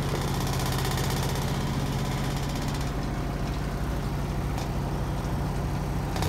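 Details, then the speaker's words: 2005/2006 Maytag Neptune washer at maximum spin speed: a heavy steady rumble and buzz with the machine shaking hard. Owner suspects the floor isn't sturdy enough. "hey guys this is quitting the washer is vibrating a lot noisy vibration you can hear that this you can hear that our washers vibrating"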